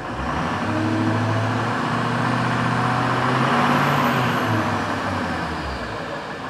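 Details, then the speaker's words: 2005 Ford F-350 diesel, first start after replacing a blown intercooler with an all-aluminum unit: steady diesel clatter with a thin turbo whistle rising and fading; turbo spools cleanly, normal running. "All right, well, the clock on the wall says it's time to go to daycare, which is good timing because we heard that nice little turbo"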